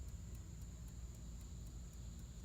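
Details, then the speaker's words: 1954 Chevrolet 210 (chopped, Bel Air trim), engine off, during rewiring under the dash after the wiring fried: the dash clock, which never seemed to work, now ticks about four times a second over a faint whine. The owner wonders whether it's electronic since it whines. "it appears to be the clock. I don't even know what to say about that."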